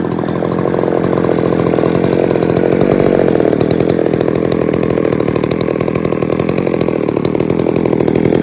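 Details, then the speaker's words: Poulan 3800 chainsaw two-stroke at idle: fast buzzing, burbly, slightly uneven idle that sounds like it is loading up with fuel. Owner suspects an air leak or a tuning issue; not confirmed. "I know if you can hear that but it sounds like she's just loading up just sitting there idling"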